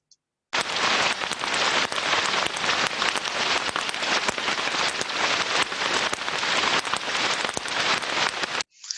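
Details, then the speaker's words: Ultrasound recording of idler bearing number two: continuous rushing crackle with frequent sharp, irregular ticks and pops, showing more repetitive impacts and higher amplitude than the smooth bearing one; a damaged bearing in worse health. "so by just looking at comparison now between number two and number one we can see more repetitive impact higher amplitudes so now we can start to determine that number two is in a worse state of health than number one"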